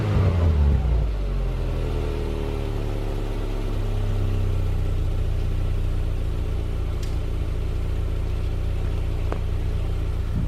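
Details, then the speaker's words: 2010 Subaru Impreza after installing Magnaflow 11366 performance muffler replacing the stock muffler: deep, smooth low rumble swelling with revs, no rasp or rattle; normal exhaust note. "doesn't sound - too bad a lot better stock so I don't think contour can complain"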